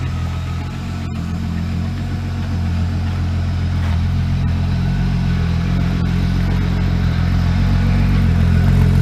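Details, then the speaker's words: Corrado's first drive in 7 years: a steady, even low rumble with smooth firing and no knocks or misses, a healthy idle; the owner hopes the thermostat works, and there is no tach. "she sounds healthy okay so hopefully my thermostat works"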